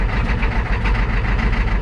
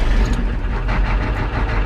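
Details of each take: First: 1987 Ford F350 6.9 IDI diesel just after replacing injector return caps, o-rings and lines, held near 1000 rpm in neutral: lumpy, hunting clatter with uneven beats; rough idle from air still trapped in fuel system. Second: 1987 Ford F350 6.9 IDI diesel after replacing injector return caps, o-rings and lines: deep, steady clatter at low idle, even and settled with no misses; engine running normally.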